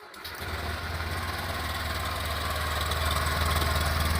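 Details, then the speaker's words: 2022 Honda Beat idling-stop scooter at 4,382 km. Its complaint is total power loss on hills and stumbling on pull-away. It starts and settles into an even, steady idle with no pinging or rattle, running smoothly. "mesin halus sekali tidak ada kendala apapun tidak ada suaraitik ya Soalnya ini adalah motor baru"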